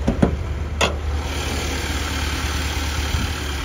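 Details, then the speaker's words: Infiniti QX56 V8, cold start after about 3 months sitting, on a borrowed battery; new high-pressure fuel pump, earlier rough idle, misfire and check engine light, none lit now: steady even low rumble, no misses; normal idle. "Starts right up. Sounds like it's idling fine."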